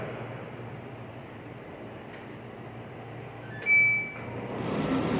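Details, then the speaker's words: Condenser dryer after belt check and re-tightening: quiet hum, a single beep, then the drum motor spins up promptly and evenly on pressing start, no longer the slow roll it had before; normal motor start. "See how it just started right up."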